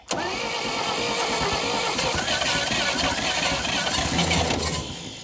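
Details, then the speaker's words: 1952 Dodge Power Wagon, unused for 16 years, on choke: the engine cranks but never quite fires, nearly catching; the owner suspects low compression and slow cranking. "Well, can you hear? She wants to start so close. I think what I'm lacking is compression. She doesn't seem to be spinning too fast."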